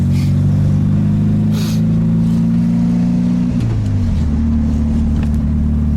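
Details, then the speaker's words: 1965 VW Karmann Ghia accelerating on the road: smooth, even pull rising under throttle and dropping cleanly at the shift, with no misfire, burble or valve noise; the valve train is properly adjusted and the engine is healthy. "Nice smooth engine, doesn't have a misfire, a burble, or any of that garbage, it just goes. I don't even hear the valve, so the valve train must be adjusted properly."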